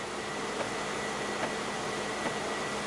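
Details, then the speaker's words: 2004 Ford Explorer at about 150,000 miles, engine running to supply vacuum for HVAC diagnosis: faint regular clicking about once per second over steady blower hiss, a knock from behind the dash, cause not pinned down. "so let's start it up actually has auxiliary you actually hear a there's a knocking in the back"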